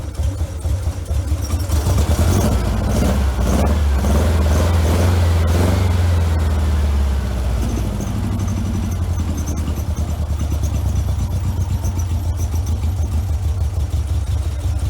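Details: 1956 VW Bug with replacement 40mm IDF/HPMX dual carbs, engine running: lumpy uneven running that surges and sags, driver's side carb doing nothing, float needle stuck closed; stuck carburettor inlet needle.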